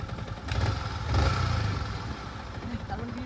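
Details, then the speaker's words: Yamaha MT-15 2020 V1, 400 km, after rocker and tappet/valve clearance adjustment: steady, even low thump at idle with no ticking or clatter; engine noise fixed. "Engine का sound का problem बिल्कुल sort out."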